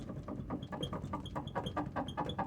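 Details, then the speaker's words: T1N Sprinter van while moving: a sharp, high squeak about four times a second over road rumble from the middle of the rear door. Owner suspects the cracked inner door or a tear near the latch. "so i've had the squeak just driving me crazy and it only squeaks when i'm moving i found it"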